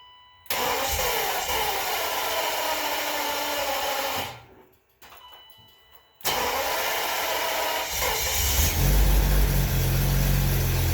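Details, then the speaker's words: 1991 BMW 750iL E32, sat for a long time with a fuel leak, being primed through both filters: after a pause of cranking it catches with a rough burst on old gas, runs unevenly for a second, then stumbles out and dies. "well she ran for a second no leech yet"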